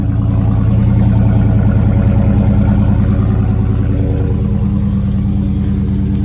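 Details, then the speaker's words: Dodge Scat Pack at salvage auction, just started: deep even V8 burble at idle, steady exhaust note, no knocks or misses; coolant low, motor sounds healthy, normal running. "it sounds pretty consistent so I don't think there's going to be anything wrong with the motor or at least nothing major"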